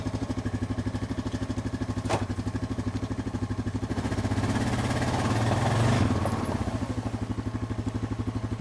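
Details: Honda 420 ATV engine idling with a choppy, uneven, stumbling beat, misfiring; issue tied to the front brake interlock at start.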